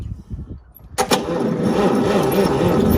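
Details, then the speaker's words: Chevrolet El Camino, first start in two years, engine turns freely: starter spins at roughly three and a half beats a second with no fire; cranks but won't start, dirty points suspected. "we are getting no fire imagine the points are needing cleaning"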